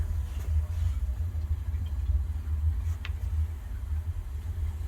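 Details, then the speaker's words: On a newly installed Rheem gas water heater, the pilot is lit and the temperature set, then the igniter lights the main burner; a steady deep rumble holds evenly with no pops or sputter, so the burner is running normally. "And you hear that igniter lighting? That's the sound we want to hear."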